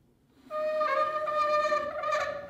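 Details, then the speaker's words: Pocket door: sustained reedy single-pitch squeal as the door slides out, its bottom edge rubbing the plastic floor guide; the most common pocket door squeak, fixed with scrunched wax paper. "it just rubs against there and if it hits the right frequency at the right speed it is one of the most annoying squeak rub sounds that you can hear"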